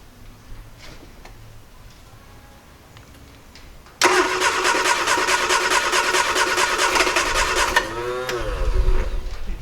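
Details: 1968 Triumph Herald 13/60 after sitting off the road, first start attempt after points reset and new distributor cap: about four seconds of fast, even cranking, then a ragged sputter that never settles; it turns over but won't catch.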